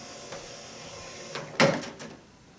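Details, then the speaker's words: 1995-1999 Nissan Maxima power antenna, new mast cable being fed in with radio turned off: short motor whir with clicks as mast draws down and bottoms out; antenna retracting properly. "oh wait a minute there it goes just drew it in sucking it down in there perfect"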